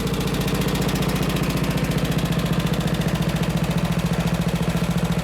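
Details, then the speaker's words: Riding mower single-cylinder engine at idle after an exhaust-silencing modification; an even, muted putter at about 3.5 pulses per second, quiet and healthy, though the owner notes a possible slight tick. "right, there she is at idle. I don't think it's too loud at all."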